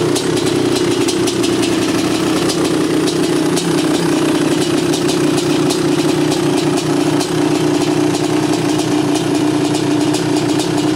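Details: 1986 Honda CR500R two-stroke, mostly original, unrestored, low hours, described as tight and sound running: crisp, even burble with steady beat and no misses or rattles; normal idle.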